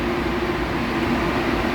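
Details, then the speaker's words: Pyromaitre PS-106E industrial heat treat oven at switch-on: steady even burner roar with a low hum, no surging or popping, as the unit goes through its firing process and lights normally. "The unit will go through its firing process, and we're up."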